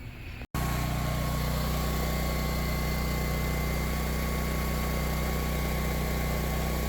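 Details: Power Stroke 6000 W generator with a 389 cc engine, found abandoned as a non-starter, running after a carburetor clean and fuel filter replacement. A steady, even hum with no surging or hunting; it is running smoothly.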